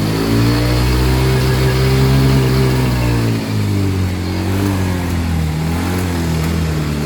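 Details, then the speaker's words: Yamaha Mio i125 scooter that was hard to start and had to be pushed: uneven shaky idle with a stumbling beat and pitch dropping around three seconds; misfire blamed on a dirty throttle body, which was then cleaned. "may halo siyang gilig Guys may halong nanginginig Ayan oh halong gig parang nanginginig palado palyado siya yado talaga"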